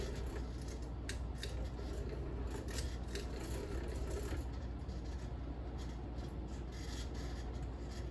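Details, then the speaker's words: 38-inch Fasco World's Fair model 948 ceiling fan from July 1982, run briefly on high: quiet low hum with uneven scraping, rubbing ticks and bad shimmy; flywheel is pretty much done for and bearings terrible. "Anyways, we're gonna crank this fan to high, but we're not gonna do it very long, as you can see it's shimmying very badly."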